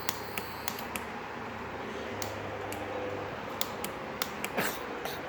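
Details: Motorcycle gives sharp, irregular clicks on pressing start but does not crank. The starter motor, mounted right beneath the radiator, is sticking; smacking it while cranking got the bike to start. Relay also suspected.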